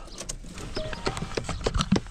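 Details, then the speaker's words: 2011–2019 Ford Fiesta recirculation blend door actuator behind the passenger-side dash, with the key on: a handful of sharp, irregular clicks as it tries to turn. The actuator is suspected stripped, not confirmed; the fix is replacing it. "and then you can feel it so like right now I can feel this making a noise where it's trying to turn and I think it's stripped so it's just making making that noise in there"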